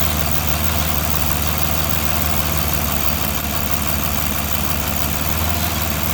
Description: A loud non-periodic ticking sound is heard at idle. Misfires are showing up for cylinder 6.